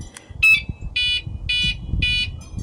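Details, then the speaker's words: Catalytic converter anti-theft alarm after eight months on its factory alkaline batteries: three short, shrill, evenly spaced beeps signalling a weak battery. "make that three beeps when the battery's weak"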